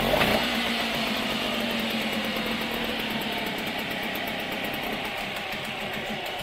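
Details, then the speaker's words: Small outboard on a salvaged sunken aluminium boat, after the water pump impeller's worn side was turned around: a steady, even engine note holding speed with no misses or knocks, and it now pumps better. Normal running. "all right that's pumping a lot better now"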